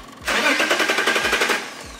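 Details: 2003 BMW E39 530i with MS43 DME: cranks fast and evenly about a second and a half but never fires, intermittent crank-no-start traced to a faulty, possibly water-damaged DME losing constant power.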